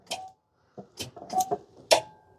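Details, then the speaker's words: Club Car DS golf cart that sat for years, with weak 8-volt batteries charged on a 12 V charger and pack voltage at 32–39 V: sharp clicks from the rear when the pedal is pressed in forward, but the motor doesn't turn; low voltage suspected. "but nothing's happening probably not enough voltage yet"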